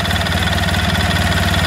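Quick, even pulsing idle with a steady low drone and no uneven beats; the engine is idling normally with the clutch spinning.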